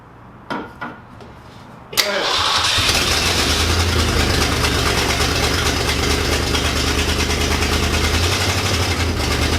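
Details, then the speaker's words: 1966 Lincoln Continental, unregistered for about nine years, started and not yet warm: cranks, catches and settles into a loud, raspy idle with a puffing tick at the front, an exhaust leak up front; backfired on starting. "There is an exhaust leak up front. It needs some work for sure."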